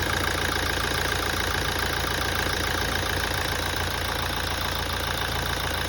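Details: 2017 Toyota at idle after a major service. A regular light knock at roughly three to four per second over the engine hum of a steady idle: source not yet pinned down.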